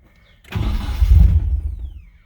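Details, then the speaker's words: Nissan 240SX after a leaking fuel line was replaced: engine catches, runs rough about a second and a half, then dies; idle air control valve needs more adjustment. "okay so it starts so i need to adjust the idle air control valve some more and let's try this again attempt number two"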